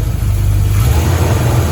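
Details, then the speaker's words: 1983 Chevy Silverado, warm, after sealing an exhaust leak and freeing the exhaust that was touching: even, low idle with no rattle or puffing. Exhaust now quiet; clearance still tight. "oh that's a lot better yeah it was driving me crazy you the man Donnie Donnie figured it out like always"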